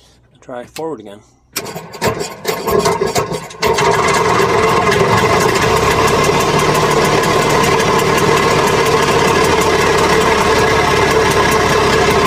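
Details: Penguin two-stroke that would not start after sitting over winter, strong blue spark confirmed, small fuel prime given: a few cranking bursts, then it catches and settles into a steady, even, buzzy idle; normal start and idle.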